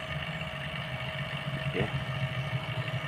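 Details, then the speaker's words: Refrigerator evacuation: steady, even vacuum pump drone with no crackle, no residual air left, unlike the crackling heard at the start; system appears leak-free. "dari segi suara saja sudah bersih ya tidak ada sisa-sisa angin karena sudah bersih tidak seperti tadi pertama kita menghidupkan data suara kemresek ya"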